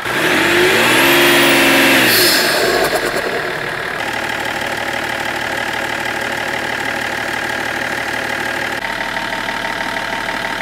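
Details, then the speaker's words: BMW 330d restarted after a cooling-system rebuild (head gasket vs cracked oil cooler suspected) while bleeding coolant: steady hissing whoosh over an even idle at constant speed, turbo discharging intermittently; turbo hose fit doubted. "Here Simon was maintaining the same engine speed but tubrocharger discharges sometimes, looks like there is a issue here"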